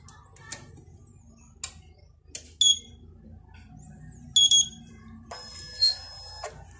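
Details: DNP DS-RX1(S) photo printer with red error light always on, plugged into 220 V with no paper or ribbon: short, sharp high beeps in separate bursts a couple of seconds apart after power-up; persistent error alert, cause unknown.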